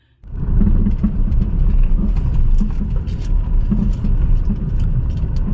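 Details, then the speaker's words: Tata Tiago XZ driving over bumps: scattered sharp knocks above road rumble from the left wheel, caused by a worn, loose stabilizer link, replaced. "यहां पे शायद आपको आवाज सुनाई दी होगी guys थोड़ी सी jerking पे किस तरह से खटखट की आवाज आ रही है लेफ्ट साइड से टायर से"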